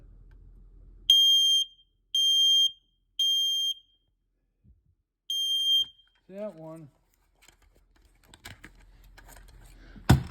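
Four sharp high-pitched beeps, each about half a second with short gaps, loud and clean: the detector's alarm sounds properly on test.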